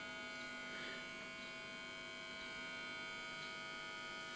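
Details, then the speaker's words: Rebuilt organ tube amplifier powered up with no leakage; constant buzzy hum with a steady high whine, loud mains hum worsening with higher voltage, suspected from the filaments, not confirmed. "like i said it's most likely due to and it gets worse with higher voltage this sounds like filament more than anything"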